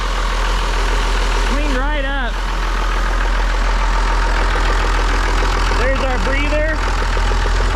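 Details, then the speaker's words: Auction-bought John Deere diesel engine gravity-fed from a funnel, with a little air in the fuel; steady deep idle with even low thrum, about three and a half beats a second, no misses; runs good; normal diesel idle. "oh yeah she runs good just had a little bit of air in it"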